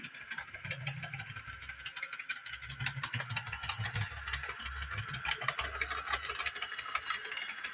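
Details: Repaired Bachmann Doodlebug model motor car at full speed yet slow on 18-inch radius track; light uneven ticking about three per second over faint motor hum, suggesting gear mesh trouble; owner suspects curve or decoder, unconfirmed.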